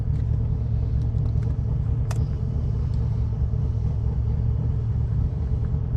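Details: Turbo street car on ethanol, 10 psi boost, 235 street tires, at the drag strip, on the two-step launch limiter. Deep steady rumble held at one fixed engine speed; limiter holding revs as intended.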